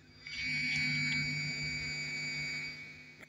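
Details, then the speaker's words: Audio system with MP3 decoder board and equalizer on a 12 V adapter, midrange amp and subwoofer amp on a 19 V laptop adapter: steady high-pitched whine with low hum from the speakers, caused by the amplifier, not the MP3 player; changes when touched. "Ça ne vient pas du lecteur MP3. La cause de ce bourdonnement est cet amplificateur. C'est tellement mauvais."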